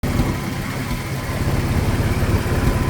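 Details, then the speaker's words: 1995 Ford F150 4.9L inline-six EFI, open exhaust without converters, at idle: uneven stumbling beat with occasional dropped pulses; random misfire, cause not yet found. "So that's what it's doing. It just has random misfire."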